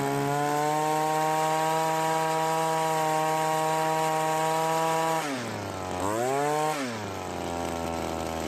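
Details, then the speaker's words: Cub Cadet commercial two-stroke trimmer after carburetor rebuild for hardened metering diaphragm causing hard starting and poor running, carb slightly adjusted: steady high idle, dips and swells on throttle blips, settles lower; runs clean. "The carburetor did need a slight adjustment when the trigger was squeezed. Most of the time, however, an adjustment will not be needed."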